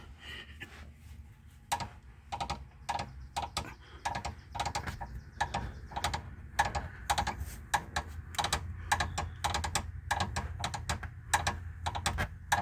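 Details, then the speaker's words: 2005 Mazda 3 2.3L, engine off, engine rocked by hand at the oil filter: sharp irregular ticks and light knocks; worn engine mount, which when running gives a loud knock/tick echoing from the side and rear; bearings already replaced and checked. Worn engine mount knock. "But while the engine is vibrating, it's a loud knock, tick, and it echoes back there, and it shoots out the back. Sounds like a knock from the side of the car."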